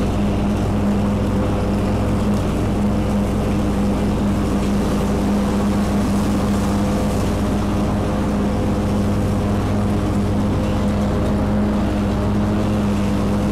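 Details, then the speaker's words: Kubota Z122R mower after new carburetor and new fuel filter, cutting grass with steady even engine drone holding speed under load, no surging, misses or knocks; normal running under load. "well there you go that uh runs better than this running i don't know how long so maybe i should have changed the fuel filter last year the year before but either way new carburetor new filter runs great now i'm cutting grass"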